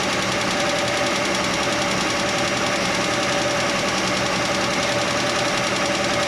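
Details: Chevy Nova straight-six running with the valve cover off: busy, uneven clatter around three or four ticks a second; stethoscope on each rocker stud found one ticking, and tightening that loose rocker arm while running quieted it.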